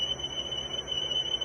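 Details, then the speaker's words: General Electric cassette recorder from a junk lot, during a test-tone wow-and-flutter test: steady high tone with a faint, quick wavering pulse; flutter about 1%, drift steady. "Probably could be a little better, because you can see that fluttering going on, and you can hear it, I'm sure"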